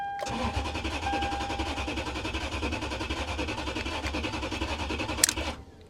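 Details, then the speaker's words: VW CC Sport at a salvage auction, about 163,143 miles: starter cranks steadily at about three and a half pulses a second for five seconds but the engine never catches; fuel pump not heard, cause suspected, not confirmed. "Try it one more time. I don't think I hear the fuel pump."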